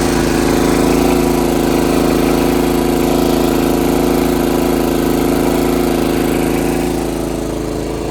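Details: John Deere RX75 rear-engine riding mower on test drive after ignition switch replacement and reassembly: loud, smooth, even drone at steady pace, no misses or hesitation; healthy running under load.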